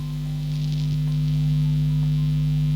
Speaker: it's a really typical complaint with single coil pickups and unfortunately it's just what they do